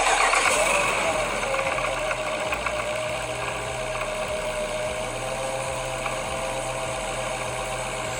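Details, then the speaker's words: Brand-new Whipple 3.8 supercharger at idle: engine catches and settles with a harsh rattle and a whining tone on top, from supercharger rotors touching. Unit being sent back to Whipple for repair. "brand new bought straight from hhp here's a box for it and this thing sounds terrible rattles real bad let me start it"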